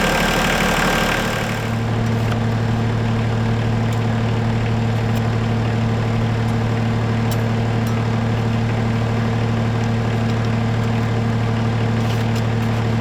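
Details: Diesel tractor idling after antifreeze refill and bleeding: steady low idle with deep, even rumble underneath, no knock; worn water pump bearing with fan play, new pump to be fitted over winter.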